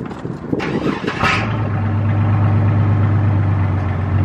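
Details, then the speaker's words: 2014 lifted Chevy Silverado, true cold start after sitting at least 24 hours: short crank, catches immediately and settles into a steady low idle rumble; fires right up. "that fired right up i mean it fires right up every single time"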